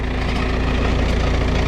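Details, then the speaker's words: Diesel farm truck hauling corn at idle: a deep, rough, throbbing growl pulsing from the exhaust, with rattling. Owner suspects the muffler bolts broke again, later confirmed as the muffler. Finding: exhaust growl at idle. "i think a multiplayer the bolts on a muffler broke again we've had that happen before just sit there make a real loud growling noise and all that"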